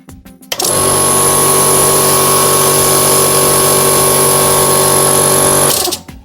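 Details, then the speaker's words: Oil-lubricated 24-litre, 2 hp air compressor, run to compare its noise with a silent compressor; it starts sharply and holds a loud, steady pump drone with an even high whine, no knocks, then stops cleanly; normal running. "See on siis õlitusega 24-liitrine kahehobujõuline kompressor."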